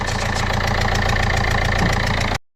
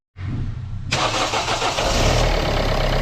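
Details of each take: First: Ford Fiesta/Fusion TDCi diesel at idle: rhythmic puffing chuff at each firing over the clatter, injector chuffing from leaking sealing washers; fixed with four new copper washers and carbon cleaning. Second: Ford Fiesta Fusion TDCi diesel at 120,000 miles, after new copper sealing washers on all four injectors to cure injector chuffing. A short crank, then it catches at once and settles into an even, steady idle.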